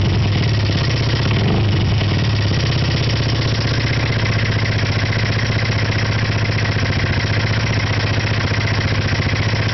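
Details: First-generation Honda PCX (JF28) scooter: steady metallic clatter over the small engine's idle, constant throughout; rattle from inside the engine, cause not pinned down.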